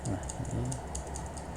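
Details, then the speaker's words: Mechanical keyboard switch retested after cleaning and resoldering its pins to the PCB, formerly double-clicking; crisp single clicks, one per press, no chatter or second click; repaired switch registering cleanly. "kayaknya alhamdulillahnya udah sini ya. Udah enggak double klik lagi. Udah lancar banget ini."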